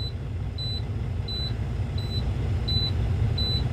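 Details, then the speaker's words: Diesel semi truck idling, air tanks refilling after leak, secondary filling before primary: sharp high beeps about every two-thirds second over low idle rumble; low air pressure warning, transmission may not engage. "secondary always gets up filled first before the primary gets filled up you're going to have um the alarm go off you're going to have the system air pressure low transmission might not uh start meaning I can't move even if I wanted to"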